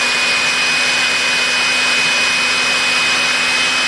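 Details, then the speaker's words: Electrolux PN4 power nozzle, about 40 years old, first test run after re-greasing the motor and brushroll bearings, belt not connected; smooth, even high whir at constant speed with no rattle or grind, no major sparking; normal motor run. "but yeah that is uh that's running very very well nice and smooth to be sure and no major sparking"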